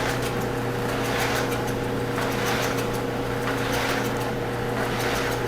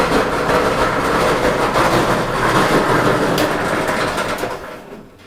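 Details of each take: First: Whirlpool dryer after the broken drum support roller was replaced and the belt refitted over the motor pulley, drum spun to test before reassembly: a steady, smooth low hum and light tumbling swish with no rumble. The drum spins normally. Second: Whirlpool dryer tumbling: steady coarse rumble and uneven rolling thump under the drum; likely a broken drum support roller.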